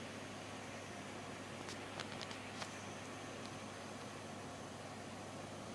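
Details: Brand-new GTX 780 Ti ACX graphics card under gaming load: faint, thin high-pitched coil whine sitting steadily above the cooling fan hiss.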